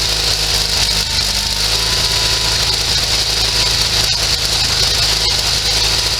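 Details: Sears SS16 garden tractor with Onan twin-cylinder engine, revived after sitting several years, fed from a temporary gas tank: steady even rapid beat with a bit of rattle, holding speed without stumbling.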